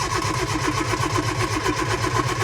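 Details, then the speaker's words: Lotus Elan, started from cold after sitting over a week with the battery on charge, on a damp morning with the choke partly out after a couple of pumps. Steady starter churn of about five turns a second, but it never fires. The owner suspects a fuel delivery problem and is considering an electric fuel pump. "Nothing yet. It's quite a damp morning this morning. Nothing."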